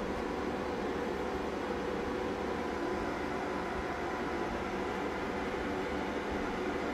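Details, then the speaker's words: Solar inverter's MPPT cooling fans kick on at 50% solar mode with about 60% load, panels 10 in series at 466 V open-circuit; steady, even airy whoosh with no ticking, rubbing or pitch wobble, normal fan running (52-57 dB). "oh and um sure enough it was the mppt fans that one just kicked on now listen to this one"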